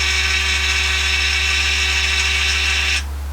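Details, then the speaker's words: Yaesu G-1000DXC antenna rotator on bench test, held counterclockwise at low speed until the end stop: even motor hum with a bright whir that cuts off cleanly at the automatic stop; normal operation. "There we go. Now we'll keep going until that automatically stops."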